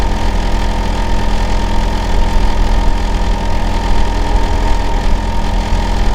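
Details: Neighbour's Hitachi air conditioner outdoor unit running in winter (it runs year-round, loudest in summer and winter): constant deep droning hum with a steady low tone and unchanging level; loud running noise, cause unclear.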